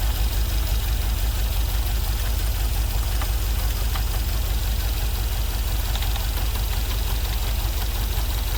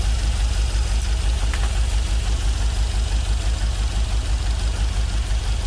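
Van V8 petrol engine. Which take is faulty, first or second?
first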